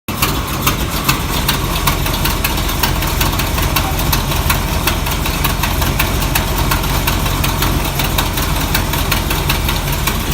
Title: 1976 Monte Carlo upgrade part2 starts but has exhaust leak